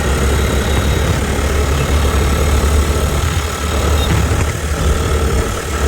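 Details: Mahindra Rodeo 125 scooter, bought used, with a weird unpleasant sound versus other scooters but good pickup, also creeping forward on start: loud deep uneven rough idle rumble; abnormal engine noise, later disassembly shows worn engine parts.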